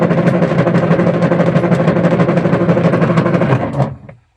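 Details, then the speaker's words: Washing machine agitating with the pulsator still fitted: a loud, rapid rattling clatter of about three knocks a second that stops dead with the drive. It reverses but is very noisy, and the timer stops intermittently; a noisy gearbox. "Ito, umaandar, nagre-reverse. Kaso, ay napakaingay."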